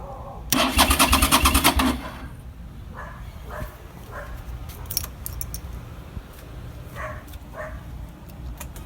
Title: New battery, still no start